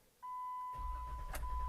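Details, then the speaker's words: 2014 Jeep JK being run out of fuel for a Magnuson supercharger install; a steady chime, then the starter churns with an even low rumble, cranking on its own without the key held, engine never catches: fuel-starved no-start. "Oh, that's weird. It's like the ignition wants to keep cranking. I'm going to crank it"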